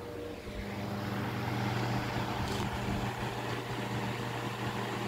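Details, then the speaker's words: Diehl G12AJ16 12-inch two-speed desk fan: steady airy whoosh over even motor hum, loud but no rattle or scrape; runs great, though the cage is bent and the oscillator quits after a couple minutes. "we will just do yeah this thing's loud but definitely not as loud as that"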